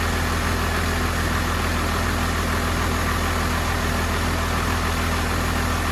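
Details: 1993 Cummins D350 chassis with 12-valve diesel and automatic, 1940 Chevy truck body, just fired up: steady fast diesel clatter, no dip or hunt, well above normal idle; fixed by backing off the idle adjustment screw and adjusting the rod.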